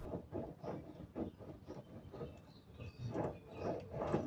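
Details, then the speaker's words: VW MK1 front wheel hub spun by hand with disc removed during suspension rebuild: rough, gritty rumble in uneven surges with faint high squeal from a worn wheel bearing that needs replacing. "it's a good thing we're going over everything because that bearing is screaming and it's not supposed to so the bearing needs to get changed"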